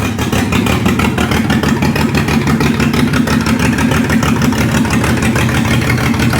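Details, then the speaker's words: Ford Barra engine in speedway car, just converted to a 350 Holley carburetor on factory intake with a distributor; lumpy, uneven idle with irregular stumble about three times a second; owner suspects spark plug wires, down a cylinder or two; rough idle. "She sounds like she needs a a massive tuneup. Um, I might check all these, um, spark plug wire. Sounds like she's down a pot or two."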